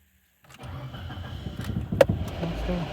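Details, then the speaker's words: Mitsubishi Lancer X 1.5 4A91 with automatic, about 261,000 km, first start after engine repair for high oil consumption and piston knock: brief crank, catches, oil pressure builds, settles into quiet even idle, slight clutch noise audible; healthy running. "пробуем так давлени пошло масло прокачала работает ровненько работает тихо чуть-чуть муфту слышно но от этого никуда не деться"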